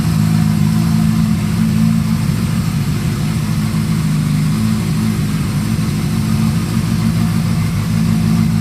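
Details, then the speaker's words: Honda CB550 four-cylinder motorcycle build, choke off after running a minute or two, before carb synchronization: steady, even burble at warm idle, no misses or hunting, all cylinders pulling together; normal idle. "so she's doing pretty uh pretty darn well already"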